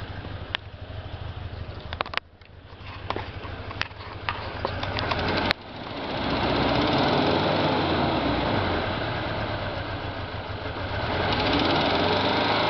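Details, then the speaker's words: Toyota 2.7L 2TR-FE (Hilux/Tacoma) petrol engine just after a head gasket change, with sharp irregular ticking at idle, then revving into a louder roar. The engine shakes, and the owner suspects a misfire or wrong cam timing. "just did a head gasket wondering if the timing's off or why it's moving something's missing and then there's this sound when you rev it"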